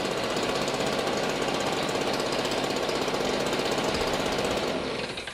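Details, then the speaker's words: 10-year-old STIHL BG55 two-stroke blower, never maintained, past RPM issues, cracked gas bulb, baseline before new plug, air filter, gas bulb and spark arrestor cleaning: steady high roar with faint uneven flutter; acceptable but slightly rough running. "Not bad, but maybe it'll be smoother by the time we're done with maintenance."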